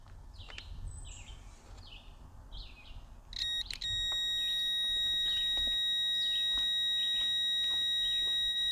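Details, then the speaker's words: Evinrude 150 XP outboard that would not start and had lost spark, kill switch circuit tested: short evenly spaced high beeps about three per second that stop when the key is turned off, same on both sides; kill switch circuit normal. "So the kill switch circuit works fine. It's working fine on both sides."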